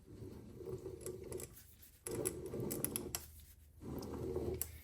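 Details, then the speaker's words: Triumph Spitfire overdrive transmission turned by hand at the output shaft in reverse gear. Irregular clicking and rattling in bursts from ball bearings dropping inside the case; quiet in neutral and second gear. "There's ball bearings in there that are dropping. Something is not happy, so I'm glad we're not really giving this any any juice and not just dropping it in and trying to go for it."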